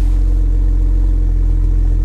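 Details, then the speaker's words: Salvage auction car idling with a smooth, steady exhaust rumble, no misses or rattles; fan spins freely, only warning is low coolant, so run kept brief; engine sounds healthy. "it runs good no coolant or low coolant so we're not gonna run this long engine sounds good"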